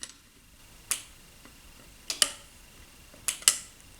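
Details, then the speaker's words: 1990 Cagiva 750 Elefant, new relay wiring with old instrument panel plugged in and ignition on: sharp dry relay clicks, some in quick pairs, the power relay engaging normally. "I'll just plug in the old instrument panel now to see if everything works well not much happened but you can see here and maybe you can hear a clicking sound from the relay"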